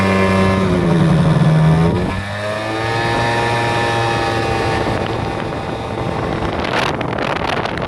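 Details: Aprilia SR50R with Piaggio two-stroke engine, after gearbox oil change (was underfilled): revs up and drops with buzzing drone and extra drive-side noise at higher revs; tested parts, noise traced to the pinion, cause unknown.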